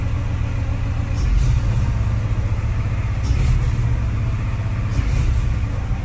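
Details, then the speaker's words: Honda Civic just after a new fuel filter was fitted and the system primed: it started normally, then a low, lumpy idle rumble swells and sags every second or two, struggling as if about to stall. Cause unknown; a fuel pump has been ordered. "issue I don't know if you guys can hear that but it's kind of struggling on idle oh no it's B to die"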